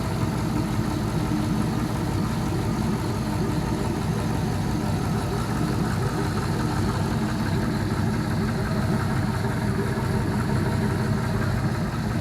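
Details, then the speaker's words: All-aluminum Gen 3 5.3L L33 LS V8 at idle while warming up in open loop, after new lifters: even idle with no lifter tick or knock, only light, fast injector clicking; sounds healthy. "sounds great no lifter lifter ticking or knocking or anything anymore those lifters did the trick"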